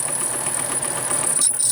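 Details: Pfaff sewing machine, stiff and squeaking; a repair shop said nothing was broken, owner doubts it. Constant thin high-pitched squeal over the rapid patter, cutting out as it slows. Squeak.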